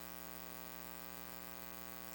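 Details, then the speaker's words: Steady low buzz with many even overtones heard in live-stream audio during gameplay: a ground-loop buzz from an aux cable left plugged into an Elgato Chat Link Pro and a Wii U gamepad that was on. "yeah isn't that annoying that that buzzing sound apparently what I did was I left this little cable plugged in and uh as some people know that if you have an aux cable and you touch it it can make a sound"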